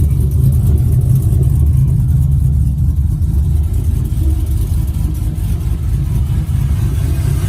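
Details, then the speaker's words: LS 5.3 V8 in a 1959 Chevy Apache, first start with everything hooked up: deep, steady rumble with even firing, clean throttle response, no misses or ticks; normal idle and revving. "it runs like a dream nice throttle response"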